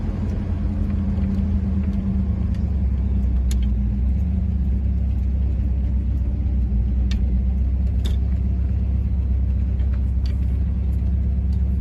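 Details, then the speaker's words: Car on cheap Temu knock-off Flowmaster two-chamber mufflers, replacing 15–20-year-old Flowmaster 40 series: a deep, steady rumble as the car pulls past under light throttle, no tinny rattle or buzz. It sounds the same as before, just without the rattle; healthy. "Um, and the exhaust sounds no different. It's just not rattling."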